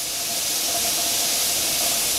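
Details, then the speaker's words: Pressure canner during 10-minute venting before adding the weight; loud steady hiss of steam pouring from the vent as pressure builds, jars rattling inside, normal. "you can really see the steam pouring out as pressures building up in there you can hear your jars rattling around and you can hear the steam as well as see it"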